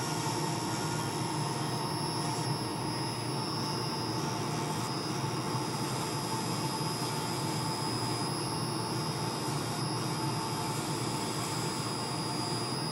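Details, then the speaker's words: Woodturning lathe spinning a pen blank: steady high-pitched squeal over the even whir of the lathe, never letting up; owner suspects bearings failing in the live center, to be replaced. "I apologize for the squealing noise you're hearing in the background I believe that the bearings are going out in my live Center so we're gonna have to replace that soon"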